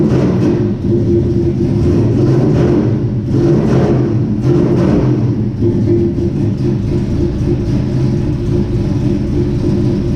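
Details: 1967 Chevy C10 V8 with Holley Sniper fuel injection, started after sitting about 23 to 25 hours; a few light blips then smooth settled rumble, no misses or knocks, healthy cold start and idle.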